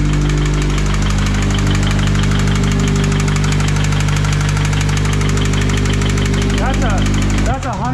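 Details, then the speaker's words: Subaru BRZ with a used replacement engine, first run after fixing a leaking external oil bypass line, while earlier a phaser click was suspected: a deep, regular knock at idle, about three to four a second, centred in the engine; a bad rod knock, spun bearing. "give it a little wrap that's definitely a knock huh I said yeah it's a bad one"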